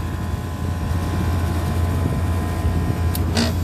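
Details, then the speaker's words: Vertiv Liebert PDX precision cooling unit, Copeland digital scroll compressor modulating around fifty percent: steady low hum with the unloading solenoid clicking back and forth, normal operation. "so there is compressor doing its thing you can hear that clicking back and forth and it's this solenoid that does that"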